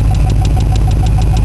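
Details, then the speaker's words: Engine in cold weather, warmed up a couple of minutes after a hard start: steady idle with a light regular tick about six a second, seemingly from under the valve cover; owner suspects a valve train issue, unconfirmed. "Well, it's warmed up for a couple of minutes, and that tick is back. I don't know how well you can hear it, but I swear to God, it sounds like it's coming from under the valve cover here."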